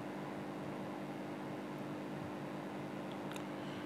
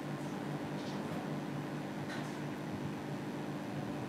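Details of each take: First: AC indoor unit blower motor that had been running slow, now fitted with a homemade six-wire speed-control circuit in place of the coupler: steady, even mid-pitched hum with no scraping or rattling; normal running. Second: Hitachi AC indoor unit blower motor controlled by its PCB, which has a slow-motor fault: quiet, steady low hum with even tone and no knocking; motor runs smoothly but too slowly.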